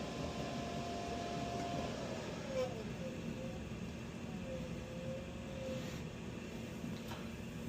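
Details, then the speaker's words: Two 2007–2008 Lochinvar Knight modulating condensing gas boilers cascaded with a Bell & Gossett PSH42 hydraulic separator, unserviced for years; one lights cleanly at 100% fire rate, 149–150° climbing toward a 177 set point; steady burner roar and smooth fan hum, normal ignition and firing. "There's our ignition. 100% fire rate. Set point is 177 149 and climbing 150."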